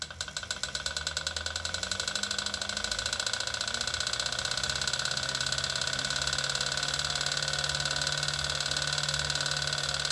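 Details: Wahoo KICKR Snap bike trainer, bought December 2018, began making noise after a little over a week of use: a steady tire hiss and whir with a light repeating click. The drivetrain is almost silent with the back wheel off the roller.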